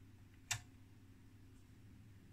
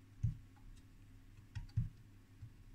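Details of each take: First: 1969 HP 400E AC RMS voltmeter: two sharp dry relay clicks over low mains hum when the box is touched; relays chattering from a loose connection. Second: HP 400E AC RMS voltmeter (1969), after cutting out crusty connectors and resoldering them: four short crisp irregular relay clicks while turning between the 1 and 3 volt ranges; the relay now energizes, with no sticking or chattering, normal switching.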